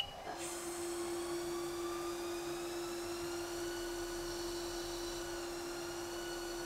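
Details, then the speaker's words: Haas CNC lathe finishing a cut-off (parting) after cycle start: a clean, steady whine holds an even pitch through the cut with no chatter, a normal parting operation. "i'm going to go ahead and press cycle start and let it finish the cut off"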